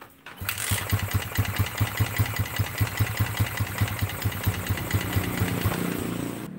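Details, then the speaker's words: Yamaha Vixion that won't start on the electric starter: slow, uneven chugging pulses, a bit over two a second, as it labours to catch. Hard starting; no smoke seen, and oil and piston rings are being checked. "Ini motor di starter nggak mau bunyi Enno starter no"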